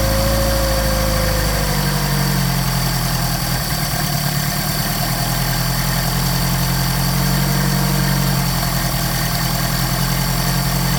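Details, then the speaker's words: Mercedes 190SL with rebuilt Solex carburetors (39,000 miles; new throttle shafts, trued mating surfaces): even, steady low idle with faint hum and slight hunting while cold on choke; normal cold idle before thermostat opens and tuning. "Not bad for cold carburetors. So I'm going to increase the RPM so you can get this warmed up pretty quick and do some tuning."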